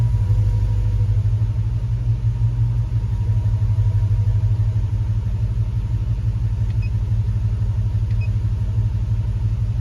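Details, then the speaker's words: Hemi-swapped Grand Wagoneer V8 at idle after replacing a torn EGR tube O-ring suspected of a vacuum leak: deep mostly steady rumble with slight lumpy dips about three a second; still reporting a multi-cylinder misfire but sounding much better. "still showing misfire okay still showing a misfire but that sounds that engine sounds way better so whatever it is not bad"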